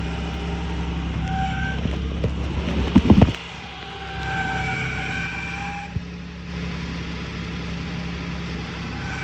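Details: 2009 Toyota Tacoma 4.0 1GR-FE at idle: shrill squeal comes and goes in one-to-two-second bursts, worse cold but also when warm, gone with higher rpm; water pump, new alternator and power steering pump resonate equally, source not pinpointed.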